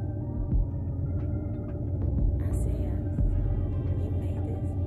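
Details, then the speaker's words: 2006 Mercedes-Benz E350, M272 3.5L V6, at idle with check engine light flashing: lumpy uneven idle with low throbbing shake; cylinder 5 misfire, code P0305 with P0300 and system too rich at idle. "my check engine light starting to flash you can hear the vibration or you can see it definitely"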